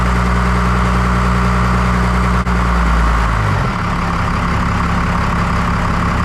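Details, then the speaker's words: 1993 Dodge W250 5.9L 12-valve Cummins after injector replacement: steady low diesel rumble at about four beats a second, no stumbling, steam from spilled diesel in exhaust; normal idle. "but yeah I think she sounds a lot better"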